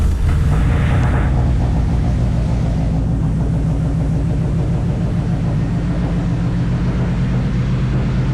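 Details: Nissan Sentra turbo build, start after a no-spark fault was fixed and new V-band exhaust welded: brief rev then a deep, throaty rumble settling to an even, steady idle; runs cleanly.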